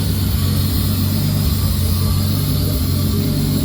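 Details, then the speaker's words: Nissan 240SX with RB20 swap, after blown turbo replaced, intercooler piping mock-up: steady deep idle with constant airy sucking from the unplugged idle control valve port; vacuum leak at disconnected idle control valve. "so the idle control valve isn't hooked up yet, so that's what you're hearing sucking."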